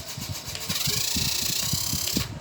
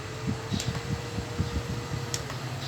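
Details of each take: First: Pink handheld mini fan whirring up to a high hum with quick rhythmic rattle and vibration as a broken blade rubs its front cover: unbalanced fan blade rubbing the cover. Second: Pink mini handheld makeup fan after repair: it had been noisy and vibrating, with the blade rubbing the front cover; the broken blade was replaced, and it now hums with a steady mid-pitched whir and runs evenly, with a few handling clicks.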